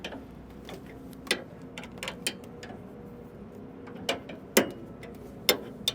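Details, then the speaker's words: S700 combine concave levelling, rotor spun in reverse while tightening the rear hanger bolt: sharp irregular ticks about once a second, rotor elements hitting a concave set too tight, so it is to be backed off. "so we hear that tick that's a little too much so we're going to back it off let Lucas keep spinning it"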